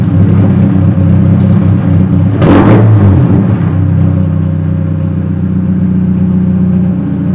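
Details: Chevrolet Cobalt SS/SC whose exhaust came loose, effectively straight pipe; loud, raw, deep exhaust roar that swells sharply on a quick rev, an exhaust leak.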